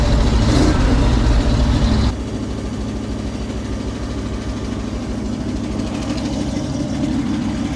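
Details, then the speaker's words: 1968 International Loadstar 1800, first start after sitting months: a rev drops to a rough idle with fast, fairly regular light tapping; valve train on one bank much noisier than before and smoking more, cause unconfirmed. "So, the valve train on this side seems a lot more noisy than it used to be. Don't sound good at all."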